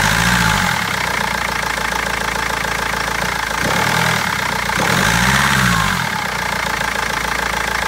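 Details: BMW 320d diesel at idle: hard rapid clatter about four knocks a second with uneven stumbles and surging misfire; injectors or tappet suspected, garage unable to find cause for over a month.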